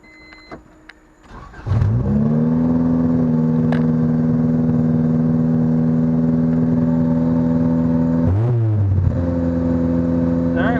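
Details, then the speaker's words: Honda Civic Del Sol right after a fuel pump replacement: it cranks briefly, catches cleanly and settles into a steady, even idle with one quick blip, fuel delivery healthy. Normal start and idle. "she starting up so I'll let her warm up and then take her for a couple runs see how she acts hopefully that's all of a problem"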